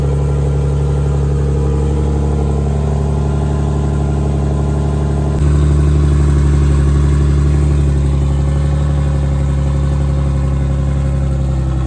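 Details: Big-turbo BMW E46 on a new tune, open downpipe with no exhaust, close to operating temperature; steady, even low drone with a regular pulse and a slight step up in speed midway, a clean, healthy idle.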